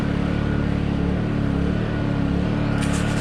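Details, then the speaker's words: Honda EU2000i inverter generator running after a new spark plug, started on a freezing day with choke and Eco throttle off: smooth, even hum at steady pitch with no surging, misses or knocks; runs much better now. "we ran much better it actually runs much better with the the sparkplug this happens to be the great generator no complaints the thing is fantastic like"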